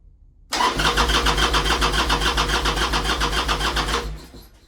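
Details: 1998 Harley-Davidson Sportster sitting 2-3 years, enrichener out: steady rapid starter chug about three and a half beats a second, engine never catches; crank no start, owner suspects carburetor not getting gas.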